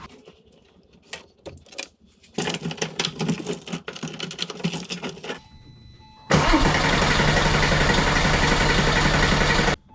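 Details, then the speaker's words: Porsche 996 Turbo, fuel lines and pump just refitted: the starter cranks in long even bursts but the engine never fires. The fuel pump is not running and there is no fuel pressure; the owner suspects a blown fuse or wrong pump wiring. "fat nothing I'm a little lost guys cuz now the fuel pump's not doing anything so I don't know if I blew a fuse or what"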